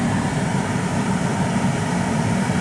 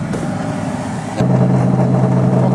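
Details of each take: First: 1993 Chevy Astro van (4.3 L) replacement blower motor after cleaning ground connection: steady even low whoosh, no squeal, tick or wobble; blower running smoothly, good air pressure. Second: 1993 Chevrolet Astro van, 4.3 L engine, at idle: heater/AC blower motor under the engine lid kicks on with a loud steady hum and droning low tone, loud enough to overwhelm the radio; noisy blower motor awaiting replacement, exact fault unknown.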